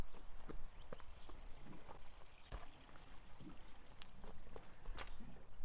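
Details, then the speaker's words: White 6182 12-row planter 2x2 liquid starter fertilizer tank gravity-filling toward the pump: irregular wet gurgles and drips; owner suspects a restriction where a large hose feeds a much smaller one; gurgling during tank fill. "There's definitely gurgling in that tank. I think there's a big restriction here because this nice big hose goes into here, but then this little hose goes the rest of the way."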